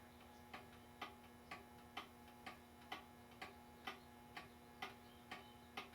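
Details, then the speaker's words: Ansonia time-and-strike pendulum clock, circa 1900, after a crooked part was bent straight. Crisp ticks about twice a second with equal tick-tock spacing. It's in perfect beat. "And that's it. It's in perfect beat."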